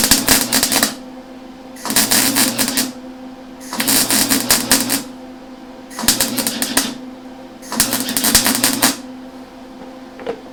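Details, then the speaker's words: Lincoln Electric Handy Mig running beads, amperage turned down: harsh, stuttering crackling bursts as the wire feed is set too high and the wire bounces back. Slowing the feed then gave good penetration. "Okay, so I did wind up slowing that wire feed down. It was kind of bouncing back on me."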